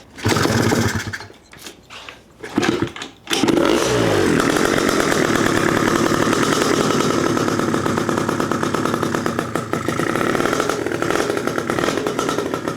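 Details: Freshly built PM Tuning 172cc Gilera Runner two-stroke Piaggio scooter engine, second start, barely warm at about 100 degrees, coolant not yet bled: after a few rough catches it settles into a steady, crisp buzz with even firing, no misses; healthy idle.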